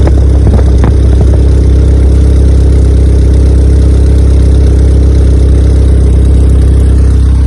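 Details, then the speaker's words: Honda EK Civic with a freshly built Vitara D16 turbo engine on its first start-up, radiator cap off; steady fast idle with a heavy low hum stuck near 2000 rpm. Owner thinks it is an ECU idle setting and suspects the throttle body. "I'm very happy, I'm very proud that it started, but I'm really shit scared as well because I can't get it to idle below 2000, and that's a setting in the computer, but I can't work out how to recalibrate it."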